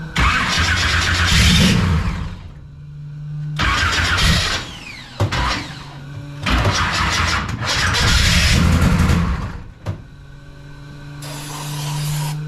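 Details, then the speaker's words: 1969 pro street Camaro with a 540ci big block Chevy, revived on stale gas: repeated cranking and loud sputtering catches with quiet gaps as it struggles to fire; black stuff came out of the muffler; fresh 110 fuel added to cycle through. "black stuff came out of the muffler our stuff always works sometimes it's fired up this gas is sold yeah it's not going to run for a while it's nasty"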